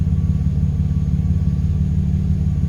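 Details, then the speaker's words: Engine after a tune-up and exhaust leak fix: steady, even low rumble with no ticking or puffing; idle holds smooth and steady, exhaust side sounds sealed and healthy. "i'ma let y'all listen y'all tell me how it sounds sounded real healthy to me"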